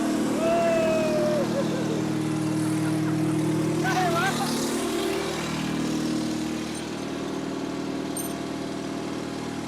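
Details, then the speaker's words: Repossessed cotton picker, 8.3 Cummins diesel, first start with three injector lines open and empty (two full of air). Catches and settles into a steady but slightly uneven run; rough running as not every cylinder fires. "Fit around that good with 3 injector lines empty. First try."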